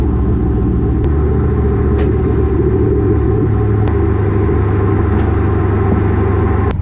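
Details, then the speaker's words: After a header-wrap fix on a car with lowered rear coilovers, recorded by a GoPro underneath while driving: steady low road rumble with only faint isolated ticks and no repeated banging. The exhaust no longer hits the axle. "There is there is literally no exhaust rattle I hear from my exhaust banging on my axle anymore."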